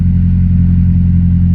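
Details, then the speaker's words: EK Honda Civic after adding a 12V 30A fuel pump relay with 12-gauge wire; fuel pump heard at key-on, then a low, steady, even rumble with no rattles or ticks; the relay fix worked; normal idle. "Well, see if the car turns on. It's already bolted down and everything. See, you can hear the fuel pump. All right, she's on."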